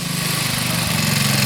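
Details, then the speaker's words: 1966 Sears Custom lawn tractor single-cylinder, about 50 years old, after carburetor and points ignition work: steady, even beat holding firm as load comes on, no misses or knocks, good power; normal under load, though it smokes and warped head gasket surface noted. "Got good power. 50 years old, that thing."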